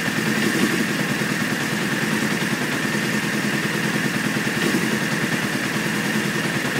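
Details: 1995 Honda F3 motorcycle, rough idle set at 2200 rpm, after 10 seconds of cranking and white smoke to start: fast, uneven, ragged clattery idle, which often happens at idle, at red lights and on cold starts.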